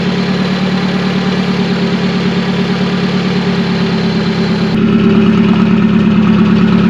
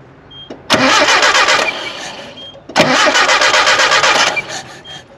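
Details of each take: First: Classic Nissan 720 pickup, manual, after flushing water from the fuel and a tune-up: smooth low idle around 550-600 rpm, clean rev blip settling back; runs healthy. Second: Nissan 720 pickup revived after about 20 years sitting, test spark plug on a spare coil wire: even cranking, never fires. No spark while cranking, sparks a couple of revolutions after the key is released; suspected electrical fault, not confirmed.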